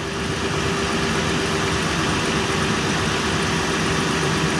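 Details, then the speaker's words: Toyota Highlander wheel bearing heard through a stethoscope with the wheel spinning, coarse rumbling roar like a corn sheller versus the smooth other side; this bearing judged bad. "pues este balero no lo he tocado aún pero se escucha casi sin las orejeras pero para poder comprobar voy a ponerlo yo y este se oye como una desgranadora de maíz señores y este va este balero va a ser el malo"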